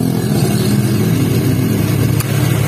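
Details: First-generation Honda Brio, idling with AC on after fitting a new AC compressor bearing: steady, even engine hum, roughness gone, compressor running smooth; normal AC operation.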